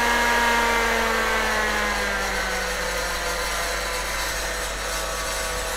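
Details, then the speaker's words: PDP-11/34A vintage computer under repair, cooling fan on a speed controller: a steady whine gliding slightly lower over a soft air rush, then settling; the fan runs smoothly at reduced speed. "okay well hopefully you can hear that the speed control is working you can make a huge difference to the amount of noise these fans make by just slowing them down very slightly"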